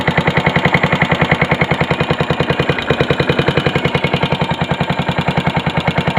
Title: yamaha sr500 engine knocking